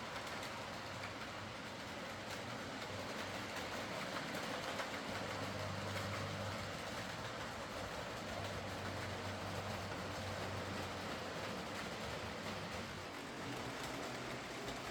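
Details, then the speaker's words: Heljan Class 23 model locomotive after repair: split drive gears replaced with 3D-printed ones. Even motor hum with steady wheel clicking about four per second and no stutter. Runs smoothly. "other than that this runs very nicely as most Helens do when you don't have split gears burnt out Motors or dried up sticky oil"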